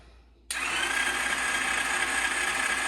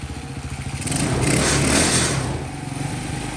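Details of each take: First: Champion mini bike cranking on the starter with compression but never catching, no spark despite a replaced CDI, stator, coil and plug cord; the existing wiring was later bypassed with a separate simple harness. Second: Newly bought Champion mini bike, single-cylinder, after fixing a no-spark fault: just started, warming up, putters along at a steady even pace and sounds healthy; idle may need turning up slightly. Normal running.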